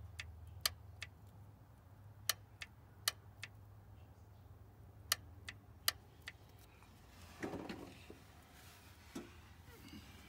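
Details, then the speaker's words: 1990 Oldsmobile Custom Cruiser, 403 engine, 200-4R transmission, no fluid in the solenoid, key in run: sharp dry clicks over a faint low hum as power is applied and released; torque converter clutch lockup solenoid clicks normally when energized. "now the key is in the run position if you listen carefully there's no fluid in it so you'll be able to hear an audible click see that's your lock up solenoid"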